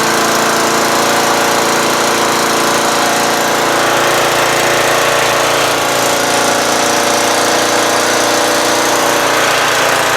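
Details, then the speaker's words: Murray lawn tractor, 12.5HP Briggs flathead single, idling after stalling once and restarting while warming up: smooth, even but high, buzzy idle; idle set a little fast on purpose to avoid stalling, could be lowered. "that Idol is a little fast but I want to make sure it doesn't stall you know I want to run a little bit I could lower it a little"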